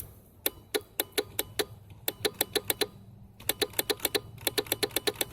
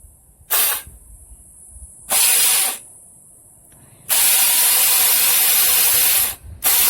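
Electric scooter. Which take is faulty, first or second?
first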